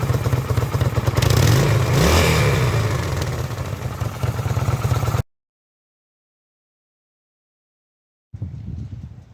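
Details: Kawasaki VN800 V-twin chopper, in a build to fix a big engine knock (rotor removed), revs up and settles with an even, deep beat and no knocking; the engine sounds healthy, with normal running.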